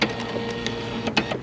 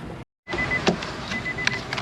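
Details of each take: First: Nissan Versa front door window regulator: the motor spins with a steady, free electric whir and nothing dragging, so the motor is good and the regulator cable is broken. The regulator needs replacing. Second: Nissan Versa front door after window regulator replacement, before door panel refit: steady motor hum as the glass travels, only light clicks, no grinding or binding; power window works normally.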